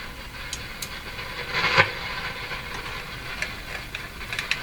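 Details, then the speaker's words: Silvertone 101-583-2 multiband tube radio warming up after a fix for an overheating field coil: steady hiss with sporadic crackles and one louder burst. An erratic fault of unknown cause. "I don't like that sound I don't like those sounds I don't know what they are"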